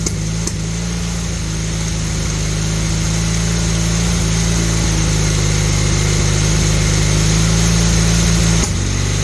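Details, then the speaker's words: Honda Hondamatic 400 after 20+ years sitting, throttle cables unhooked, surging to a high idle on its own: steady run with occasional sharp exhaust pops, plus ticking at the front and an intake valve sticking. Needs valve adjustment. Exhaust popping. "I'm going let a run for a little bit and see what it does it throttled up on its own it's popping out the exhaust hear"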